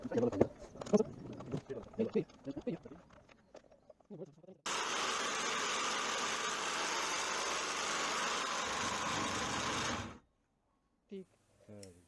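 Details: Old power sander after disassembly and reassembly to fix stalling/jamming (struggling hum, internal rattle), test run: some handling noise, then about five seconds of steady, even hiss with no rattle or catching, then a clean stop; normal running.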